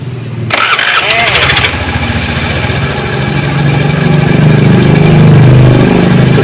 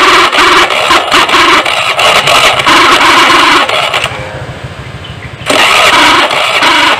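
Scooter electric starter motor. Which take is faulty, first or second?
second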